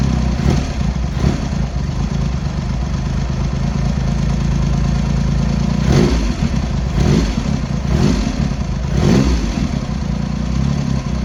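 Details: Triumph X75 Hurricane, rebuilt carbs just refitted, cold on half choke at throttle stop: low, lumpy idle with occasional stumbles, one cylinder seemingly firing intermittently; pilot screws thought set 7/8 out, carb setting suspected.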